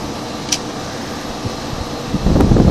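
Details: 1970s GE Slumberline 5,500 BTU window AC with a clogged spiny-fin coil, running: steady low fan rush over an even compressor hum, no rattles or squeals. It runs normally.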